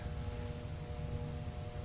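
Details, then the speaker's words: Tektronix 574 oscilloscope from a thrift shop, first power-up: fan barely turning at about half an RPM with a steady low 60 Hz mains hum and no spin-up whir; seized, dry cooling fan bearing needing lubrication. "I think it was pretty clear that that thing was rotating at about half an RPM and emitting a bit of a 60 hertz buzz, but because of ambient noise in the store, I probably couldn't hear it."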